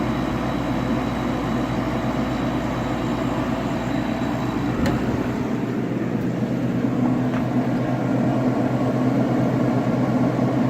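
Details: Bunn ice drink machine after blowing out the condenser radiator, compressor starting as barrels switched to ice: steady low hum with constant whir, running smoothly with no knocking or rattling; sounds healthy.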